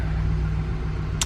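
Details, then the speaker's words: 2006 Dodge Ram 1500 Mega Cab, 5.7 Hemi, first start after jump from a dead battery, fuel nearly low; steady even low V8 rumble at idle with no knocks or ticks, sounds healthy, no warning lights. "So I am excited, because initial start, the truck sounds really healthy. There's no weird sounds from the motor."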